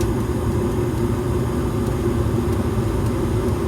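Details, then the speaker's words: Evcon gas furnace installed February 2020, startup sequence of inducer motor, igniter, gas valve and loud burners: the blower fan kicks on with a steady, even airy roar and low hum, no knocks or scraping; normal blower operation. "and the fan will kick on very soon"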